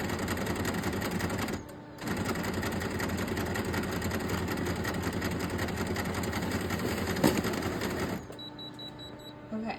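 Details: Canon imageCLASS D1520 after cleaning with canned air and alcohol wipes: coarse rapid mechanical chatter about three beats a second then quiet clicks; grinding, not pulling paper, jamming at a plate.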